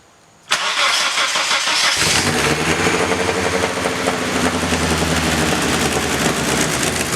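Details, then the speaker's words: 2nd-gen Mitsubishi Eclipse, crashed around Christmas, start after repairs: cranks, catches, settles into a loud raspy idle with puffing, ticking blat. A big exhaust leak is heard, and white smoke is seen. "you got a big exhaust lean let it run though that's good"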